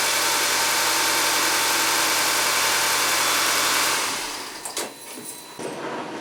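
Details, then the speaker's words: 2015 Audi A4 Sport turbo, running just after spark plug replacement: even steady idle about four seconds with no stumble, ticking or miss; engine runs right, normal idle. "Sounds good to me."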